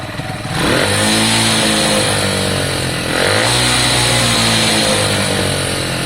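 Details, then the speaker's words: Lexmoto Valiant 125 converted from EFI to carburettor, original main jet, air filter on but airbox off; revs sharply then drops back slowly and hangs before settling; revs hang, owner suspects the scrap-made carb and considers a new one. "Revs hang a little bit, don't they? A little bit. It's close."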